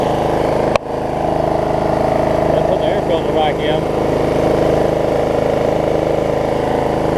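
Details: Snapper 28-inch rear engine rider mower after plug pulled and refitted, owner suspecting bad or too much gas had stopped it starting: steady, even mid-pitched drone, no misses or knocks; running smoothly and healthy.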